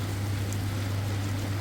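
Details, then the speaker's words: Very old General Electric dishwasher, wash motor starting once the sump has filled, after its relay contactor was replaced. A steady low hum with water rushing and spraying, even and smooth; the wash pump runs properly. "Now you can see, you can hear. Now motor already start."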